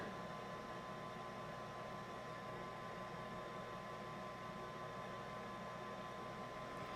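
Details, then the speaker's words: Rheem water heater vent blower after replacing the pressure switch with a new one that triggers at lower pressure: steady, even low hum and airy rush with no rattle; no fault, and the main burner lights. "yeah and it hasn't faulted yet so it must be working"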